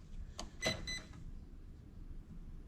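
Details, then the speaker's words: Usukani D3T 1/8 RC drift tricycle with Dynamite 2-in-1 unit, owner couldn't get it to drift; on power-up the speed controller gives a quick cluster of short high-pitched start-up beeps, normal. "Okay, we have beeping."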